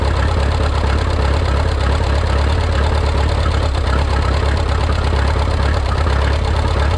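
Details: Minneapolis Moline 335 tractor with a rebuilt engine: low, lumpy idle with uneven thuds around three per second. Owner says it runs rough and may need a slight timing adjustment.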